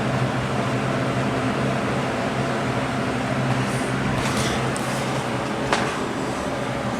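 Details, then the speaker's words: Vintage Lasko box fan, model 4713, 1983–1984 date code, after motor repair, running on high: steady low motor hum under even air rush, no rattle, smooth with very little wobble; normal running. "so let's start with hi and it's actually pretty smooth does not wobble very much at all"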